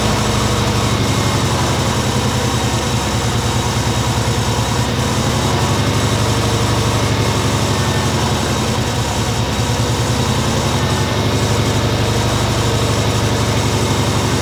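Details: Subaru Legacy B4 RSK (BE5) twin turbo, started after starter replacement and charging a long-discharged battery: steady, even idle rumble with a constant low drone, no knocks or stumbles; normal idle.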